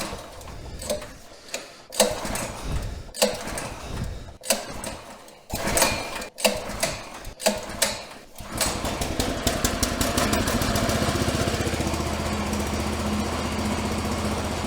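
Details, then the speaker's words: 1984 Workhorse GT100 tractor with new stock 212 Predator engine swap, fresh 10W30 oil and fresh gas, first start in neutral; several uneven pull chuffs, catches near eight seconds, settles to a steady putter; normal start and idle. "That was easy."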